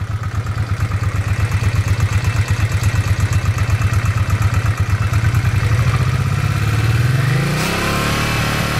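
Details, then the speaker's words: 1986 Honda Shadow VT500 liquid-cooled V-twin, 27,000 miles, warmed about 5 minutes with choke off; steady loping idle then clean, smooth throttle pickup without stumbling. Cold, it dies on throttle: normal throttle response when warm. "so you can see once it warms up I've got the choke off now once it warms up seems to do just [Music] fine"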